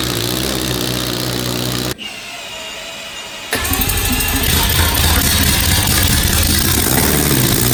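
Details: Billet four-rotor rotary on open headers, Adaptronic M6000 ECU, first run: brief start burst, then a loud, even, rapid rasp at steady pitch as it idles by itself; stable.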